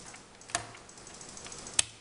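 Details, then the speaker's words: Hayward pool vacuum, water-lubricated bearings turned by hand: two crisp clicks about a second apart as the bearing grooves clip into place, meaning it's seated and ready to reinstall; worn bearings can cause right/left turning issue. "Boom, click. Click. That means it's ready to be reinstalled and closed back up if you don't need new bearings and a new turbine."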